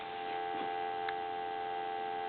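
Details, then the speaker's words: Military TA 954 field telephone converted for home use with added receiver volume control, receiver on high then turned down: steady even two-note dial tone, nothing dropping out; normal dial tone. "And you can probably hear dial tone now, but I'm start turning it down."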